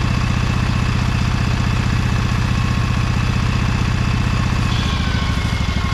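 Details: Briggs & Stratton Vanguard 23HP V-twin on a Little Wonder hedge trimmer, after primer bulb replacement and carburetor cleaning, choked, low throttle, brake on: steady low thrum with even firing pulses, no misses or knocks. Runs smoothly.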